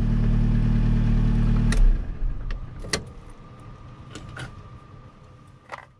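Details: Towed-in Gazel Next, after fixing the no-start: a smooth, even idle for a couple of seconds before switch-off, with keys rattling; it sounds healthy.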